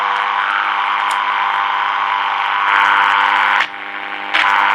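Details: Early-1950s HMV Little Nipper Mark II valve radio after a failed repair attempt: steady low hum and hiss, no station tuning in; local oscillator dead, owner suspects the oscillator coil.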